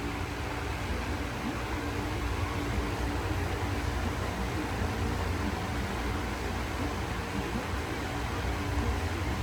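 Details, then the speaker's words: Lasko fan with a new knob, humming only on medium speed, not on high or low, quieter than the old unit; steady, even low hum plus startup sound; normal motor hum. "or there you go it makes the humming sound just like I would hope it would and it has the starup sound"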